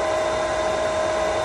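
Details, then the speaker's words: Pentair SuperFlo VS/VST variable-speed pool pump at startup: a loud, steady high-speed whirr with an even hiss as it primes at full speed before dropping to 3200 rpm for solar. Normal priming. "when we start this up it's going to get bit noisy it's going to first Prime on high speed and then it's gonna slow down so let's do this all right it's priming up that's perfectly normal takes a moment"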